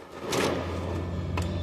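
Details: Epson L3250 printer making noise and not printing: low motor hum broken by sharp clacks as the paper feed gear skips while making a copy, then a paper error and the printer stops.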